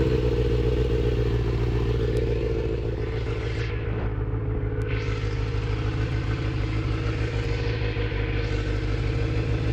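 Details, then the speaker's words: Kawasaki ZX6R inline-four being rebuilt, restarted after running while still smoking: loud, unsteady, clattery loping idle, about three beats per second, with surges. Rough idle; owner doesn't know the cause and wonders if it's just the idle. "I honestly don't know I'm gonna try to figure it out that's not good it's like really not good I don't know if just the idol or what it could be"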